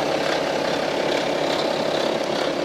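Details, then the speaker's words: 2011 BMW F25 X3 30d, 3.0 diesel N57, 168,749 km, idling with recorder held near the engine: fast periodic metallic rattle, louder toward the rear of the engine; judged a stretched timing chain. "이 촬영에 경우에는 제가 생각하기에는 소비 타임이 체인이 늘어진 걸로 판단이 들어요 타이밍 체인 소음이 라고 생각이 들고요"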